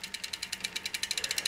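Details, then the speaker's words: Luna X1 derailleur after B-screw adjustment for better chain wrap on the 11-tooth cog: fast, even metallic ticking as the chain shifts up onto the largest rear cog; slight rattle, but shifting works. "And you're going to hear a little bit of rattling there, but it does go up into the biggest one"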